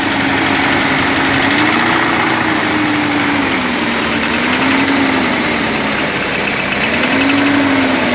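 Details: BMW 318 E36 engine at idle: steady idle with a light rapid tapping, pitch wandering slightly; a knock, source not pinned down.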